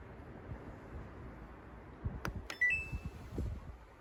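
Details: Samsung washer dryer with a dE error: the program won't start and the door lock doesn't lock; short bursts of high electronic beeps over a soft fan-like hiss and a few knocks signal the error.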